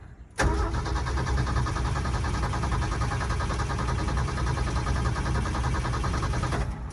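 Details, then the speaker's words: 1971 Ford F-350 straight six revived after 20 years sitting, started on carb cleaner: catches abruptly, runs rough and pulsing for seconds then dies; owner suspects intermittent spark and a fuel leak, not getting gas from the jug; hard starting. "it did some kind of sparking because it started up so i wonder for intermittently getting spark what's happening"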